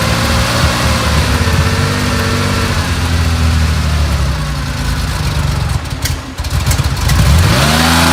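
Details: Carbureted 1970 Porsche 911 T on first cold startup during pre-purchase inspection: loud lumpy idle with uneven stumbling beat and dropped pulses, changing with revs; obvious misfire plus a felt deep vibration, cause not confirmed.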